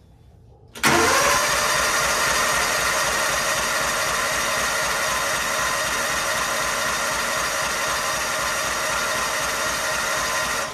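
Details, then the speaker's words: 1999–2000 Kawasaki Mule 550 barn find, unrun 2–3 years, borrowed battery, on choke: strong, even cranking for ten seconds without firing; owner suspects no spark or no fuel, not confirmed; cranks but will not start. "Okay. Well, I mean, that sounds like it's turning over real well. It just, I don't know if it doesn't have spark or we're not getting gas to her."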